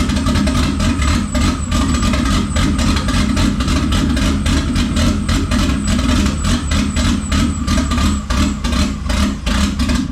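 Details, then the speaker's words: VW VR6 on first start after rebuild, methanol-injected, tuned for turbo but turbo parts not fitted: loud lumpy idle with uneven firing and surging; rough running, owner suspects the turbo tune and vacuum leaks. "it's tuned for turbo and it's got vacuum leaks you know"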